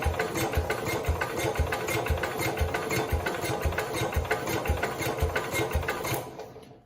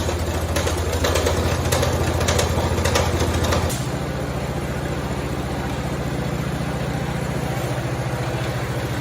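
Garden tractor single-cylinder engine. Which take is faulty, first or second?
first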